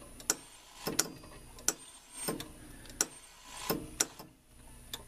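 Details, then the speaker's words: Rock-Ola 445 jukebox in operate mode. Sharp, unevenly spaced clicks about a second apart as the changer steps and hangs instead of cycling smoothly home; it seems to lose power at certain positions. "It's like it's in a bad spot where it can't get power because of where it is. Because when you get to certain spots, it moves fine."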